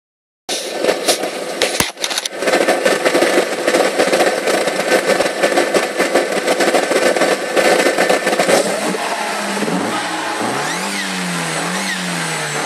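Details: SEAT Leon Cupra while driving: heavy road and wind rush, then a high whine rising and falling with engine revs; owner suspects turbo, repeated repairs failed to pinpoint cause.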